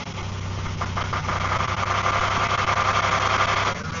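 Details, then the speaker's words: Car idling after about a liter of fresh power steering fluid was added: quiet, even idle with steady low hum, no knocks or stumbles. "Not too bad, not too bad at all. So now that I've actually filled up the new one into it, I'll let it run for a couple minutes, and then after that I'll take it for a drive so everything can clean, go through it."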